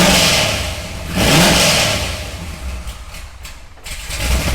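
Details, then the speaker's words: Corvette Z06 bought sight unseen, with a big cam, valved exhaust and a check engine light on: cranks, catches and flares up, then drops into a choppy, loping low idle with uneven pulses; lumpy idle, suspected from the big cam not being tuned quite right. "okay so it has a big cam in it and clearly not tuned quite right"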